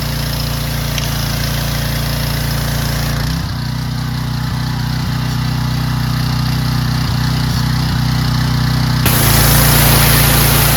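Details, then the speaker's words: Curbside-find Craftsman/Troy-Bilt pressure washer, fixed by carburetor cleaning and tested with a Ryobi gun: the engine holds a steady, even note and settles cleanly as the spray load comes on and off. It runs healthy under load. "works great. Fixed. There you go, fellas."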